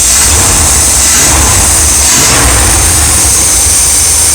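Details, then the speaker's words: Old V8 in an RV with an all-new ignition system including the ignition module, which still wants to stall when stopped. The idle slowly rises and falls, hunting back and forth instead of holding steady; surging idle, cause not confirmed. "Yeah, it's an old motor. If it's starting to do that thing, going back and forth, back and forth."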